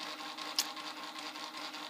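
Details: Prusa i3 MK2 3D printer during XYZ calibration refinement over nine bed points: soft, steady stepper hum with a light high whir and smooth short moves, no clicks or grinding; healthy steppers, normal motion.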